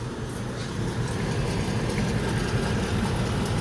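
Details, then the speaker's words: 2016 Toyota RAV4, front-wheel drive, rolling in drive: a steady low growl and grinding that changes with speed, felt through the floor. Driver side is quiet; the right front (passenger) wheel bearing is bad. "So, what's going on is the wheel bearing is bad on the passenger side. It's making a really bad grinding noise when you're listening to it with"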